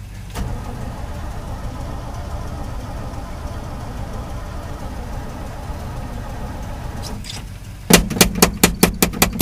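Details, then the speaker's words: Cold 1968 Chevy V8 in snowy weather, choked and on jumper cables: long steady starter churn with no catch, then sharp sputtering bursts near the end; wants to start but won't. "hit her again kind of sounds like it wants to start hit her again but not getting nothing so far"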